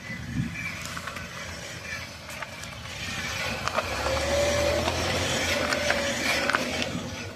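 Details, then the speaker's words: Lease-return motorhome with brakes described as shot, creeping slowly: thin squeal and scraping clicks over wind and engine noise, brake grinding. "I They're just grinding. I don't know if it'll pick up that sound or not, but yeah."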